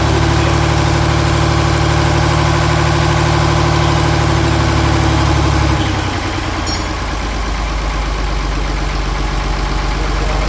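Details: John Deere 4020 Hi-Crop Powershift diesel, first start with no engine work, fresh fuel, jumped batteries and ether: the deep idle drops on its own with no throttle response. The owner suspects the injectors or pump. Unsteady engine speed.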